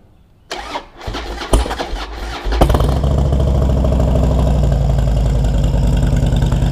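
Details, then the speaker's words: 2008 Harley-Davidson Dyna FXD V-twin, first start of the day; starter cranks briefly, then the engine catches and settles into a loping, even idle with no clunk from the primary; a clean start without the usual loud noise. "parte do dia beleza e não engastaiou né Não fez aquele barulhão que é sobre isso que eu vou falar hoje"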